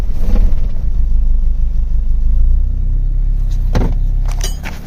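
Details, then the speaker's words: 1997 Honda Civic hatchback, D16Y7 SOHC non-VTEC, first start after new rod bearings for a rod knock apparently from very low oil: deep, heavy rumble catches and runs a few seconds, then the engine stalls. "put the new Barons in just trying to run it real quick just okay starts and dies"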